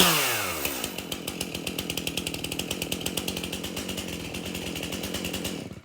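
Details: Stihl MS271 chainsaw, brought in hard to start, tested at shop door with bar and chain refitted after service: crisp high revs fall away smoothly, firing slows evenly until shutdown; starts easy, runs really good.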